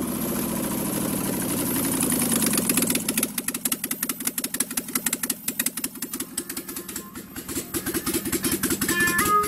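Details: 1995 Impala SS with a rebuilt 5.3 LS V8 swap on a standalone harness, first start: starter whirr, then catches into a steady even idle without misfires or knocking; sounds healthy.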